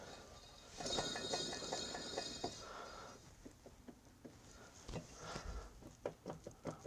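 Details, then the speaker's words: John Deere LA145 mower deck spindle, hand-spun: gritty, rattling growl, then clicks and clunks as it slows; bottom bearing worn out, to get new bearings. "bottom bearing on that one's toast oh that's growly that's going to get bearings oh that's the loose one that's definitely getting bearings"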